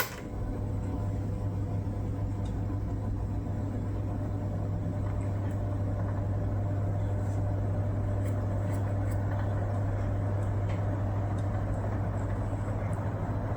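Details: 1973 National F-30AAD table fan after temporary lubrication of bearings and gearbox: steady, even low motor hum with a soft airy whoosh and no rattle, grind or squeal; runs smoothly.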